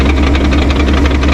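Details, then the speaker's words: 2015 S550 Mustang (built December 2014), manual, idling in neutral with the clutch out: rapid regular knocking rattle over the idle that sounds like a failing piston but is fourth gear loose in the transmission; it goes silent with the clutch pushed in. "that is full course of screaming right there and there's the transmission that's not the motor that's not anything up front that is fourth gear flying around in the transmission"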